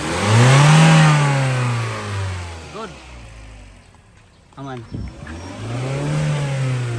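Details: Mazda CX-5 after repairing a no-crank no-start, just started: engine picks up cleanly, revs rise and fall smoothly with no misses or knocks, then settles back; normal engine revving.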